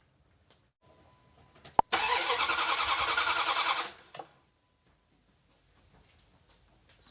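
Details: 1998 Dodge Durango 5.2L V8, crank no start: starter spins the engine evenly for about two seconds at roughly three and a half turns a second, then stops without firing, during a spark check with an inline tester on the plug.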